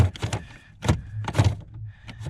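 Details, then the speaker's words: 2000-2007 Ford Focus after replacing the damper door switch on the middle HVAC knob, which had been spinning freely: short whirring bursts behind the dash that stop cleanly each time, the blend door moving normally. "you can even test it you can even test it there we can hear the blend door moving around"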